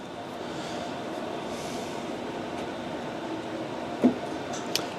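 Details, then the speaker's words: 2013 Polaris RMK 600 144 snowmobile powered from a 12 V battery for throttle position sensor adjustment: quiet hiss, then a soft low clunk and light click as the fuel pump primes, working normally. "And then how you can actually tell that you actually have 12 volt and and everything's working is you can hear uh a little clunk clunk which is just the fuel pump. So you can hear the fuel pump running."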